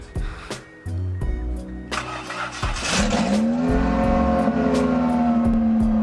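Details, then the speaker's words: Mitsubishi Eclipse RS starting on its own for the first time, no exhaust mid-pipe fitted: engine catches into loud, raw, raspy unmuffled drone over music; exhaust dumping straight out from missing mid-pipe. "There's no mid-pipe. Yeah, it's just dumping straight out right here."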